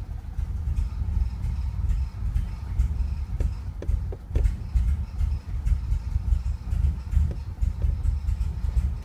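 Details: Engine misfires at every startup, won't idle or rev, cold stumbling with lumpy irregular beats and surging; around one minute Service Active Handling and Traction lights come on and it then runs normally.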